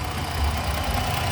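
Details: 2011 Dodge Nitro, misfire persisting after oxygen sensor, plug wires and spark plug replacement: low idle rumble with uneven, stumbling beat and occasional dropouts; misfire at idle.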